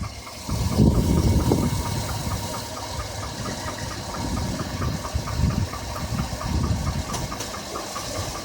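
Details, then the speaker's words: 2007 Chevrolet Avalanche V8 at idle, with lifters already replaced: a dull, uneven knock about three or four times a second under a rough idle; the remaining noise was traced to the number 5 piston. "And then he came back because he was still hearing a noise and we determined it was in that number 5 piston."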